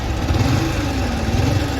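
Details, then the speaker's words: Yamaha R15 V3 at idle with charging problem: low droning ghun-ghun hum with wavering growl from engine; faulty stator coil plate, crank bearing also to be checked. "आप देख सकते हो घुन घुन जैसी आवाज आ रही है तो इसके अंदर मैं सारी चीज खोल के दिखाता हूं कि इसमें क्या प्रॉब्लम है"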